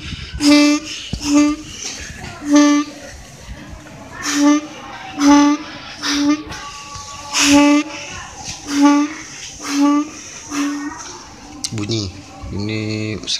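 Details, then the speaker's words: Cagiva Stella 115 two-stroke reed valve (steel, rubber still soft) removed and blown through, giving about nine short, clear horn-like honks. The petals seal tightly, so the reed valve is healthy; weak pull is blamed on the carburetor. "Kondisinya lumayan rapat, makanya sampai bunyi."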